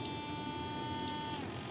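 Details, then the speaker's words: Arcus M RC plane retractable motor system servo that failed to retract: a thin steady buzz slides down in pitch as the servo strains and hunts, unable to find its commanded position. The servo is suspected bad. "see that you hear that noise it's trying to find a position"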